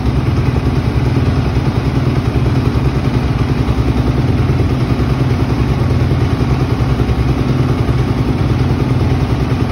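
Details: 2005 Honda CRF250R single-cylinder after tune-up, valve adjustment, carb clean and chain adjustment: loud even fast thumping, no misses or knocks; runs cleanly.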